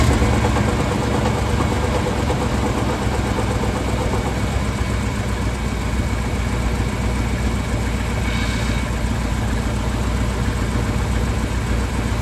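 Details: 1978 Ford dump truck engine at idle after the Royal Purple oil scare: low, steady, even burble, quiet with no ticking or knocking; healthy normal idle.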